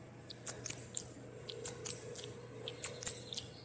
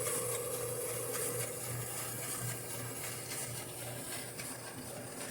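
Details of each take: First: General Electric gas clothes dryer, running empty, gives high chirpy squeaks about three a second over a low motor hum, louder when loaded with clothes. The drum rubs on worn front glides, and the drum is shifting to the left. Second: General Electric gas clothes dryer after repair of a loud squeal that worsened with load; drum now turns with an even steady rumble and low hum, no squeal or scraping: normal drum rotation.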